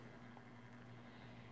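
A quiet, steady low hum with no grinding or catching: the cup turner motor is running smoothly under its load.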